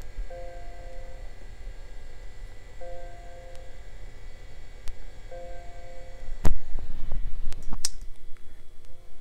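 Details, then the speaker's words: 30-year-old Macintosh LC, first power-up in 25 years: fan hum and drive spinning, then three steady mid-pitched beeps about two and a half seconds apart; startup failure from a dead PRAM battery, fixed by replacing it. "Okay, I hear the fan. I hear a drive going. Here's some beeps."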